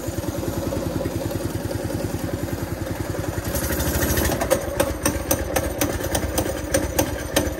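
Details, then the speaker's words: Baja Warrior small engine, long-sitting, just started cold after a throttle zip-tie fix, putters unevenly with an irregular beat that roughens after a few seconds. Owner suspects the carburetor needs cleaning and the engine needs warming up. "Probably need to clean the carburetor. It's been sitting a long time. Probably need to let this warm up."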